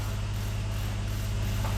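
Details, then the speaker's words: Jeep Grand Cherokee around 2012, flashing check engine light and catalytic converter codes, brake-torqued in gear and revved to load it: steady drone with uneven ratchety stumble; misfire, cause not yet confirmed. "I'm in gear let me rev up on it ooh there's a Mis frire guy"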